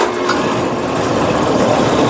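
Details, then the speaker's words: Brunswick A2 bowling pinsetter run at full speed on first ball with an out-of-range pin, stopping on out of range and resetting fine via the reset lever: steady whirring and rattling with no knocks or grinding; normal pinsetter cycle. "we're going to cycle it she stopped on out of range I'm going to reach back there and grab our reset lever she reset just fine we're good to go here"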